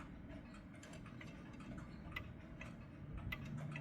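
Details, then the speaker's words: Mechanical clock, even more out of beat after the crutch was pushed the wrong way: soft ticking about two and a half beats per second with uneven tick-tock spacing. "Nope. Even more out of beat."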